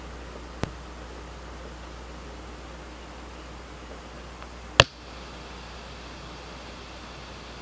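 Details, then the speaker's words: Pioneer class-D car amplifier (GM-D9601/GM-D8604 noise issue), gains down, low-pass 240, RCAs unplugged, lapel mic on the speaker: faint constant hiss, a tick, then a sharp turn-on pop. Hiss varies with gain; cause unidentified. "so on this one it is possibly because the frequency of that hiss is up in the range where this it amplifies it"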